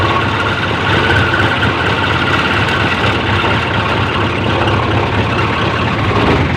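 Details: 430 diesel engine, 24 V, after repair of a no-charge fault: the alternator was fine, and a rusty fuse box had left no supply to the voltage regulator. Steady, even diesel clatter at idle with no misses or knocks; normal idle.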